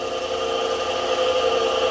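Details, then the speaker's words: Kite-line winding machine motor after repair with a power reducer fitted: steady even hum with constant pitch, no knocks or rattles; runs smoothly. "aí ó como é que ele fica mansinho galera isso é vida irmão"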